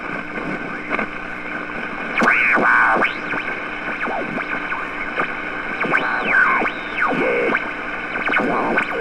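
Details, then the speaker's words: Restored 1947 Hudson's Bay Dictator All American Five tube AM radio during alignment: hissy static with whistling tones sliding as the dial moves; noise from nearby switching power supplies. Radio interference. "i got so much noise here so many switching supplies run and everything"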